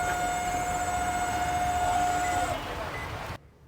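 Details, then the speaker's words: LG microwave oven running: a steady high-pitched whine rides over the running hum and stops when the oven shuts off; cooling fan bearing whine, repaired by working on the cooling fan. "பாத்தீங்கன்னா இந்த மாதிரி sound வந்துட்டே இருக்குங்க. ஒய்ன்னு சொல்லிட்டு sound வருது."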